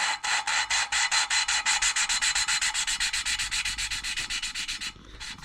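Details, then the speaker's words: Rally car cylinder head rebuild, valves only slightly out, lapped by hand with fine-grade paste: a gritty, high-pitched grinding rasp at about 2.5 pulses a second fades almost silent as the paste wears down and stops cutting. "So there, towards the end, it's hardly making any noise. So that's the paste has done its job."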